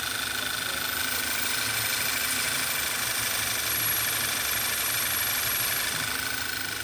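Engine idling with a faint, steady high whistle over the hiss, from a failed PCV valve diaphragm.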